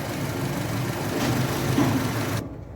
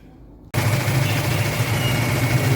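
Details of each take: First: 2010 Honda Civic automatic petrol engine idling smoothly with a steady, even hum and no stumble, after replacing the faulty number 4 ignition coil that set code P0351. No errors now. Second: 2010 Honda Civic automatic, check-engine light, code P0351 cylinder 1 ignition coil circuit malfunction: rough uneven idle with a stumbling low chug, misfire; replacing the faulty ignition coil made it run smooth with no errors.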